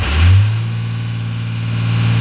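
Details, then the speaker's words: 1998 Dodge Ram 3500 with Cummins 5.9 diesel: on starting, with no gas pedal input, it climbs straight to 2200 rpm and stays there, a fast steady drone that won't drop below 2200; the fault began suddenly at highway speed. Cause not yet identified. "as soon as I start it I don't touch the gas pedal goes straight to 2200 RPMs and stays there it doesn't drop down"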